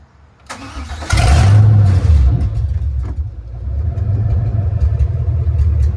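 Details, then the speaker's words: Chevrolet C3500HD, running again with the O2 sensors unplugged, which had caused rich or lean running once warm; it cranks and catches, then settles into a lumpy idle with irregular stumbles; a misfire throughout the RPM range, owner suspects one cylinder. "has a misfire at idle pretty in pretty much all it has a misfire all throughout the RPM range, but not I don't even think it's one cylinder."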